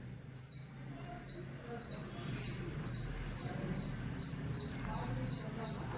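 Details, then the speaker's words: Household ceiling fan at switch-on: short, high, mouse-like squeaks repeat about three times a second as it spins up. This is a bearing squeak, heard before the fan is dismantled for repair. "நம்ம வீட்ல இருக்குற fan வந்து பார்த்தீங்கன்னா போட்ட உடனே சுவிட்ச் போட்ட உடனே அப்படின்னா சவுண்ட் பார்த்து பார்த்தீங்கன்னா இன்க்ரீஸ் ஒரு எலி கத்துற மாதிரி சத்தம்"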